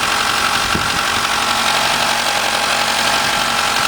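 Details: Mitsubishi 4G63 engine at a raised 1300 rpm idle with alternator and power steering off: light rapid ticking, about four a second, with a faint whirr, loudest at 2000–3000 rpm. It was a bad timing belt tensioner.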